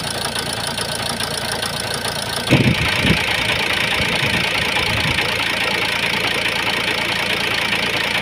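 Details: Ford Focus 1.8 TDCi diesel at idle: rough, uneven lumpy knock and shake; rough idle with vibration, suspected injector misfire, not confirmed.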